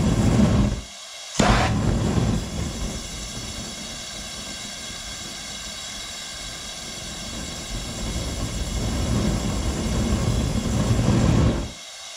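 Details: Gas burner on an eBay foundry furnace that won't get hot enough to melt copper: steady roar that swells, fades and cuts out briefly as the flame pulses; owner suspects the over-long burner tube and a faulty regulator.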